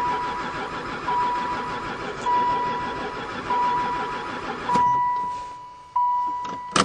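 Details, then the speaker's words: Van that sat about 4 years, cranking after adding gas. Repeated cranking bursts, never catches, steady chime in background; owner suspects no spark. "oil light's not on anymore still no go um I'll dump a bit more gas in"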